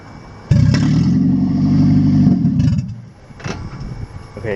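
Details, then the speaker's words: 2006 Toyota Prius (2nd gen) after catalytic converter theft; engine starts into a deep, booming, uneven roar, deafening inside the cabin, quieter once warmed up; loud exhaust from missing catalytic converter. "it's like deafening loud it's like the cat isn't like in the middle of the car it's more close to the engine so it's like super freakin loud and it's like right where you're sitting so it's super loud"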